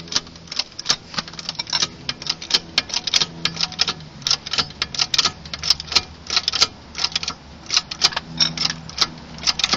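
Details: Golf MK4 1.6 8v clicking on turns and bumps: sharp irregular clicks in quick bursts over a low hum, traced to the front shock absorber after wishbones, bushes, ball joints, ARB bushes and links were replaced.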